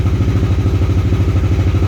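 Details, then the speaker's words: 2020 Kawasaki KRX 1000, cold start after sitting a week, original factory coils and plug wires: lumpy throbbing idle about ten pulses a second, idle bouncing; bogs and pops at low idle, fixed by DynoJet coils; failing ignition coils. "Okay, this is a cold start with the original factory coils with the plug wires. We're seeing how this hasn't ran in a week, so it's just sitting. So go ahead, Adam. See if it shows on here. So if you see the idle, it's kind of bouncing."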